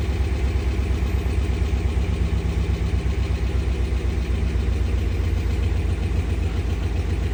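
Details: 2013 RAM 1500 5.7 Hemi cold start: low, lumpy idle with stumbles and dips, code P0300 multi-cylinder misfire.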